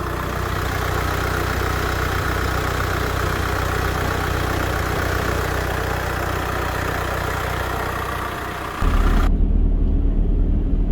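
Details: VW Crafter campervan diesel after head gasket failure and top-end rebuild, number one injector line leak fixed: steady, even idle with smooth low rumble, no misses or knocks; normal, healthy idle.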